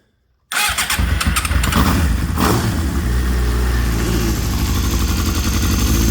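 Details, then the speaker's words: Suzuki GSX-R 750 K7 four-cylinder, revived after sitting, after dash wiring splice to clear code C-23: starter catches and it fires at once, settling into a steady even idle with a few blips; two leaks, codes C49/C28 remain, engine hesitant. "So, we did something right. Fuel pump's still trying to pump out some gas."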